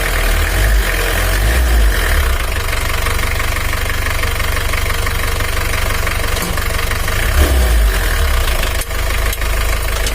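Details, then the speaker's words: 2013 Mitsubishi L300 diesel, complaint of weak pull and high fuel use, engine has blow-by: loud, rough cold idle before reaching temperature with a loose rattle about four times a second, said to be oil not yet circulated, worse with blow-by. "Tapi waktu oli belum naik ada suara kemresek itu tandanya oli belum naik apalagi kalau mobil ngobos itu terdengarnya sangat jelas ini masih belum panas"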